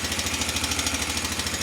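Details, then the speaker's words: Honda Rincon 650, about 2003, parts machine, first start: quick steady metallic clatter about ten slaps a second over the idle, growing louder; timing chain slap from a faulty tensioner, with cam lobes also worn, found on teardown. "Definitely has a noise in the engine. hear it kind of getting louder. It may be just a valve adjustment. To me, when I first heard it, it sounded like a timing chain."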